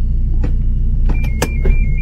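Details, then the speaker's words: At idle, one sharp clunk as lever shifts into Drive; suspected gearbox problem or broken mount, mount then seen moving excessively; clunk when shifting into drive. "Tac. Como se fosse um problema dentro do câmbio. Pode ser um BO dentro do câmbio? Pode, mas também pode ser aquele suporte que eu mostrei que está quebrado."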